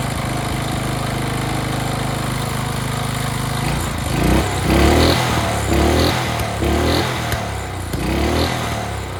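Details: Early-to-mid-2000s Craftsman brush mower revived after 3 years sitting, carburetor cleaned, oil not yet changed: holds a steady idle, then revs up and down cleanly several times without stumbling; runs great.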